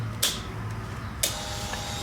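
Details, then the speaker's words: KTM fuel-injected dirt bike with erratic running: click at key-on, then steady even whir as the fuel pump primes normally; pump confirmed working, engine still doing weird things, fuel system to be checked next. "turn that off and on and hear it make that noise um but it's definitely doing weird things"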